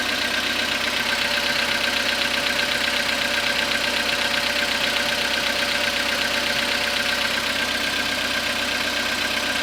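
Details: Skoda Rapid 2014, CFNA 1.6 petrol, 27,630 km, cold start after overnight parking at −0.5 °C: cold idle with steady ticking knock about four per second over clattery top end; knock source undiagnosed.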